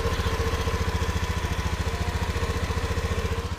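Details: Honda Beat with rough, harsh-sounding idle reportedly under a month after a previous repair, heard after the fix: even, steady low thumping at idle, about three and a half beats a second, no rattle or roughness; engine now idles healthily.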